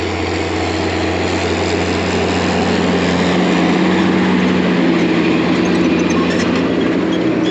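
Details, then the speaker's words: Tractor diesel during corn planting, a belt seen shredding but not yet slapping: deep, even drone at steady pitch with no knocks or misses; purring, engine running smoothly, normal. "Listen to that thing purr."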